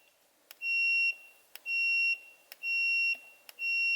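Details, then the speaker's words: Faint button clicks then high continuity beeps as meter leads go directly across the factory steering wheel switch, showing the switch closes; plan is to bypass the in-circuit resistor for Holley Terminator X trans brake/bump grounding. "it gives me continuity when I push the button so what I can do there is just bypass this resistor"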